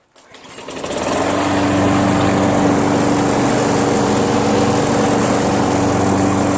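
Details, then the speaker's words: Craftsman 21-inch self-propelled mower with 6.5 HP Tecumseh engine, after a carb clean removing gum: starts and settles into a steady, even drone at constant speed with no misses or surging; normal running. "so now that it starts and runs this price just went up from $25 to 50"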